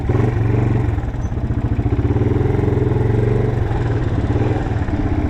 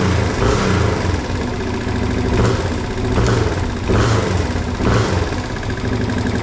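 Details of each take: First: 1987 Yamaha TW200 single-cylinder on a light test ride after no-start repair: loud, raspy thumping with sharp popping pulses at each firing from an exhaust leak; engine otherwise runs great. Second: 1987 Yamaha TW200 single-cylinder after no-start repair with new petcock, started without choke: fires and runs with an even thump, revs settle smoothly, no float-valve fuel leak; idle possibly slightly rough, mixture screw may need adjustment.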